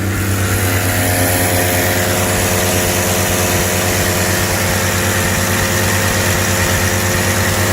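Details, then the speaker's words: 1982 Ford Granada, cold at about 25°F after a carburetor rebuild; steady, even idle a touch fast on choke, no misses or knocks, good throttle response; some noise may be the air pump. "Sounds like how I expected it to sound. Softly. Good shit."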